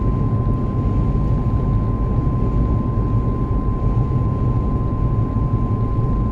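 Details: Car driving at a constant 70 km/h: loud, steady high whine at one fixed pitch over road rumble; the dealer could not hear it; driveline or bearing whine, source unclear.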